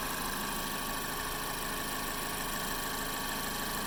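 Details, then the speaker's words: 2012 Mazda 3 Skyactiv at idle after replacing the AC/alternator serpentine belt and the stretch water-pump belt: smooth even hum, earlier squealing and squeaking gone. "so the car makes some noise before and now running smooth after I replace these two bels"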